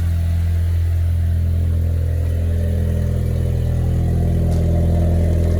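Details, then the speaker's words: 2016 EcoBoost Mustang with a new engine tuned on E85 and a big turbo, started after bypassing a kill switch: deep, steady low rumble at idle while warming up, even beat, no stumbles and no smoke. "It sounds like it wants to start. All right, go ahead. Oh. Nice. Let it chill. Let it warm up. Oh, that sounds really good, boys."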